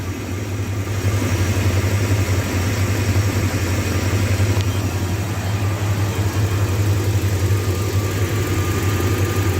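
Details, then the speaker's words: 2001 Dodge Ram 1500 Sport V8 idling while warming up after an engine swap to a good used engine because the old one needed a crankshaft; thermostat drilled to bleed and still closed. Deep, smooth even idle, no misses, ticks or knocks: "that is a nice running engine." "that is a nice running engine I have to say"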